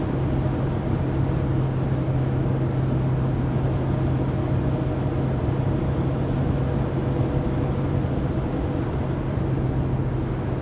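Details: 2019 Sprinter 3500XD (2020 Pleasure Way Plateau FL), recorded in the cabin on a phone: a steady droning whine at one pitch at 80-90 km/h. It persists after the driveshaft and differential were replaced, and the source is still unknown.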